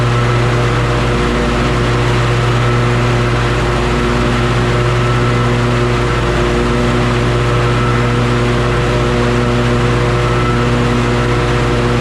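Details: John Deere S140 48-inch mower after a blade deck belt replacement, running with the blades engaged. A steady, even engine drone with smoothly spinning blades and no grinding, crunching or belt slap.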